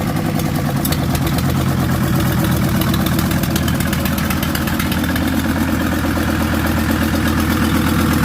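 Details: VW T4 van with the owner's old engine refitted, running for the first time in 2 years; alternator snapped off. Steady, even diesel clatter at idle, no misses or hunting; normal idle.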